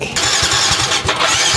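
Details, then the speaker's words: Yamaha Mio i scooter that won't start, fuel pump heard priming: starter whirrs with steady chugs but engine never catches; check-engine light blinks error 39, fuel injector fault. "yan mga kay hindi siya umandar at Mayon po siyang tatlong patagalan na blink sa kanyang check engine"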